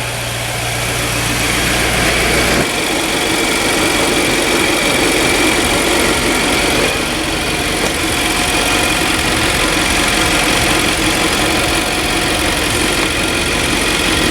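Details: Infiniti QX56/QX80 V8, about 200,000 miles, after engine swap with crank sensor code P0335 and limp mode, warmed up; steady even idle with smooth low rumble, no knocks or ticks: normal idle.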